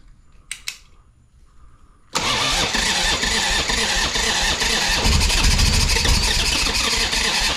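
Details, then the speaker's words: 1985 Harley-Davidson Sportster Ironhead, bought cheap after sitting outside, first start attempt with a little gas added: sudden rough cranking roar with uneven catching pulses, not settling into idle; engine trying to fire. "all right let's do it this oh we're [Music] close she is thinking about it"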